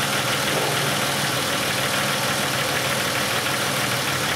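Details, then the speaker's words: 2005 Chevrolet Impala after repairing shorted camshaft position sensor wiring and replacing the sensor (had P0335/P0520, long crank, needed starting fluid cold): engine cranks, catches on its own, settles into steady even idle with slight mechanical clatter; normal start. "got a little bit of engine noise on this thing but that is a fix"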